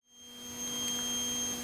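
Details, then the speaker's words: Toilet fill valve (old, before replacement) emitting a thin, steady high-pitched whistle over a low hum as the tank refills; owner replacing it with a Fluidmaster universal fill valve rather than repairing. "Alright guys, so this stupid little high pitch sound is coming from the fill valve, alright, and we're going to just replace it."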